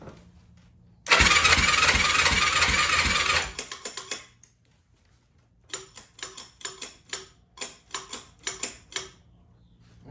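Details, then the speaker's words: 2004 Yamaha YFZ450 after carb cleaning (main jet missing, pilot jet too big, makeshift accelerator pump, airbox off), with zero compression on the gauge: cranks and chuffs but won't fire. Owner suspects flooding, worn rings or valves. "I don't know it's probably flooded probably uh the Rings are probably all you know gassed out lost little compression"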